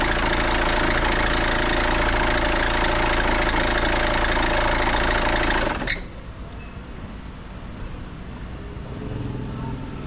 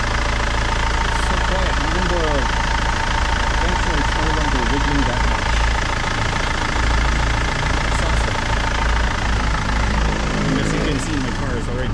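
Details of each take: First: 2008 BMW 520d E60 diesel, cold start after resting hours, despite new belts, tensioner, pulley and alternator bearing: loud shrill drive belt squeal over idle, fading after about six seconds; usually gone after 10-15 minutes driving. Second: 2008 BMW 520d E60 diesel, belt squeak after new belts, tensioner, pulley, alternator bearings; after applying Permatex dielectric grease to serpentine and compressor belts and running a few minutes: steady idle clatter, no squeal; normal idle.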